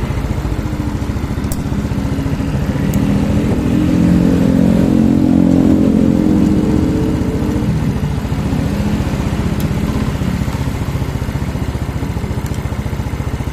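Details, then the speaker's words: Yamaha Mio scooter after fixing lost compression from leaking, carbon-crusted valves and replacing the valve cover: single cylinder runs even, revs smoothly and drops back cleanly; leftover oil in the exhaust. "nah ini sudah halus ya ini knalpotnya ini ada sisa oli di dalam knalpot"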